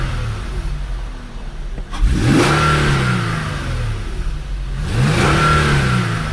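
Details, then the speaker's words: 2012 Infiniti G37 after a cold air intake install, no codes, MAF sensors working: two quick blips from idle, revs climb faster and fall cleanly with the deep intake whoosh normal for these intakes, no misses or rattles. "so much crisper. Throttles up, I can tell that the RPM climb is a lot faster. You get that whoom when you first start it up, and that's normal for these cold air takes."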